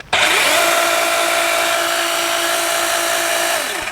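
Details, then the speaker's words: DeWalt 20V XR pole saw on its first use, battery charged and oil reservoir filled, running unloaded: a smooth, steady high motor whine with chain rattle from spin-up to coast-down, not very loud. Normal no-load running. "And for the first cut, I'm just going to do something low and simple here. And here's how this sounds unloaded."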